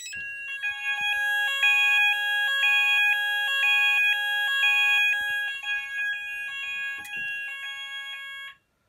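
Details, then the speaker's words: Haes Vector addressable fire alarm panel after CPU reset and evacuate: several sounders step between two tones about once a second but patterns overlap, out of sync; sounders start immediately without two-second wait. "so as you can see that's really weird very hard to think um but the saunders do start faster because it doesn't have that kind of thing where like it has to wait two seconds"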